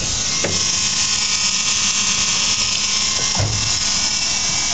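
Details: BMW E21 first run after 15 years, before engine start: steady high electric whir with two brief scrapes; the owner asks what causes the zooming.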